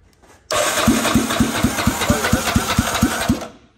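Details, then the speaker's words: Yamaha Raptor 660R single-cylinder ATV after starter clutch work, exhaust not yet fitted, cranking. Strong, even compression pulses about four per second; healthy compression, gauge read about 160 psi. "this thing's all mounted in we think we know we have compression"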